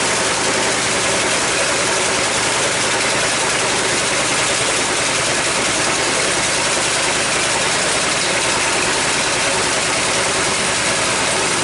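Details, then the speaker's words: Coleman BT200X minibike, after crash in mud, rear wheel raised, choke on; small single-cylinder runs fast and busy instead of idling, linkage pulling on the governor arm makes it rev up; idles nicely when stress removed. "this is the linkage to the governor tell and I take that stress away from that Governor arm which is under there it wants the it watchs the idle nicely when I let go of it they pulling on that Governor arm making that engine want to rev up"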